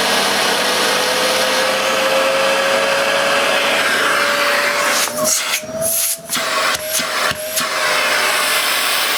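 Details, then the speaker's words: New UK-made Hoover Sensory Floormaster TS2265 bagged cylinder vacuum at maximum suction; strong steady mid-pitched motor roar holding even, brief dips from the nozzle, over 400 air watts, healthy. "wow that's one heck of a suck good suction over 400 air watts is good"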